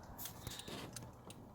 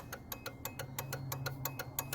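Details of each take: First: 2004 Ford Ranger with LED switchback bulbs after new flasher relay module installed, heard in cab: soft relay ticks at relaxed even pace, hyperflash gone; normal turn signal flash rate. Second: 2004 Ford Ranger with LED switchback turn signal bulbs, key on, flasher relay under the dash: quick sharp relay clicks about three per second, far too fast; hyper flash from low-draw LED bulbs.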